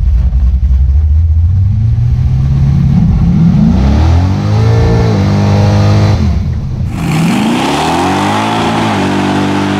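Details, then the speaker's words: V8 after swapping the 6.5 power valve for a 3.5 on the 750 carburetor: deep rumble climbing cleanly through quick revs, no stumble; hesitation almost gone, may need a 2.5. "what you hear the hesitation is almost gone now it needs like a 2.5 instead of a 3.5 but it's she's right there"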